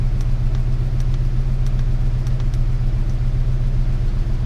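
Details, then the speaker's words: 1998 Ford Ranger 3.0 farm truck (swapped engine) after fix for rough high idle: steady even idle, no misses or hunting; scan tool shows about 880–900 RPM on 896 desired, idle air solenoid 34% then 23–24% after blip. "you can see the Idol air solenoid there 24% 23% and RPMs so that's running pretty well right there"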